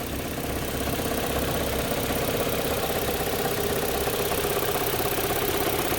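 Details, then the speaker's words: Audi 1.8 AEB engine at idle after the owner's repair work: steady idle with a light, fairly even tapping about two to three per second, fainter than before. Owner fears a damaged lifter; cause unconfirmed. "It sounds way better than it did before, but I can still faintly hear it, unless, hopefully it's not just like a damaged lifter or something, but maybe you guys have a better idea."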